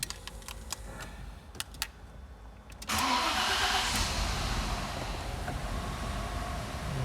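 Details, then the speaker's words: 1998–99 Audi A6 C5 that would not start (catching then stalling, code P1570), now started: uneven, lumpy idle; one cylinder is not working, a misfire. "вот shout мотор запустился ну работает он не очень честно"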